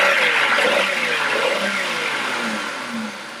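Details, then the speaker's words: Engine pulls cleanly through quick rising revs with no stumble after the oxygen sensor is unplugged; with it plugged in, it read near 0 millivolts and short-term fuel trim maxed out adding fuel. Normal acceleration. "And now it has good acceleration."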